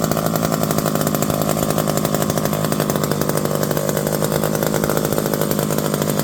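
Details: Electric-start McCulloch 5-10E chainsaw, revived from locked up and cheaply fixed: crisp steady two-stroke buzz holding even pitch under the cut without stumbling or surging; runs healthy.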